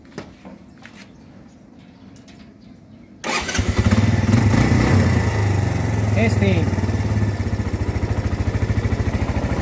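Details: Suzuki Thunder 125 with 3-phase stator, rectifier reading 14.3 and not faulty, engine very hot: fires first try and settles into a steady, even single-cylinder putt; healthy start and idle.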